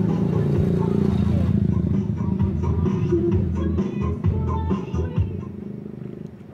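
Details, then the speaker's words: Home Vision amplifier repaired for distorted (garalgal) sound, tested on USB input after the faulty volume, balance and tone-control (GRC) supply parts were found: music plays steady and loud with solid bass, clear tops and no crackle, so it is back to normal. "Okay na siya mga karesiklo. Bumalik na naman uli siya sa dati."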